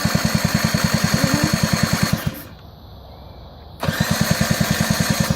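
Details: 50cc quad ATV fitted with a 12V CDI box. Rapid, even starter chatter for two seconds, a pause, then more cranking; it never fires. The owner suspects the spark plug or the pulse generator pickup.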